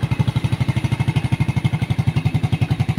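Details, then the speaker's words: Single-cylinder motorcycle that stalled without its battery, running during a charging test. Steady thumps at about four per second, no misses. The fault was wiring, to be taped. Normal running. "goods pa mga idol no so goods pa yon ayusin na lang natin ite-tape at okay na po yung problema ng ating idol no"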